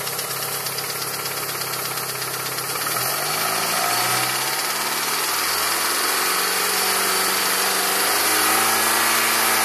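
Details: Mitsubishi Evo with reconditioned Evo 7 engine, 50,000 km, 5W30 oil: regular light tick about three per second as revs rise and fall, seemingly near cylinder 4 with melted plug tip; ticking for 2,000 km, cause unknown.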